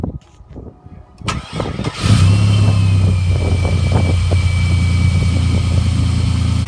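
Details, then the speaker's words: 2003 Chevy S10 Xtreme just after cold air intake install, cold start: brief crank, catches and settles into steady even idle with faint airy intake whistle, audibly sucking air; starts and runs fine. "definitely hear it sucking in all the air, that's for sure."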